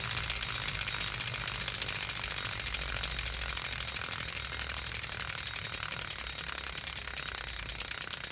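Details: Wahoo KICKR Core trainer: fast, light ratchet-like clicking runs continuously over a quiet background. A mechanical tick from the drive, cause unknown.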